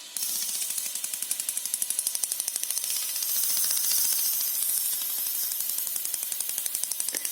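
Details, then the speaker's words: Losi LMT's stock Spektrum S614S steering servo, forced round by hand via the servo horn: fast, sharp plastic clicking as gear teeth skip, the servo missing teeth after a run session. "so obviously i've just put the servo horn on there and if we push that way it won't push but if we push that way you can hear it clicking"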